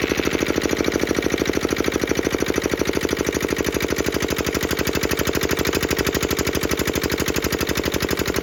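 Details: Petter AA1 single-cylinder diesel water pump, started cold after sitting a week: steady, even beat of about three firings a second with a light injector-pump tick; runs smooth and healthy.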